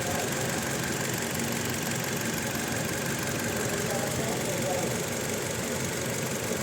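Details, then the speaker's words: Toyota Innova petrol engine idling unevenly with a stumble and shake: it misfires when revved, with no check-engine light or DTC. Coil waveform spikes stay with cylinder two, so the fault is that cylinder's ignition coil. "तो यह य जो problem है second cylinder में है इशन coil में"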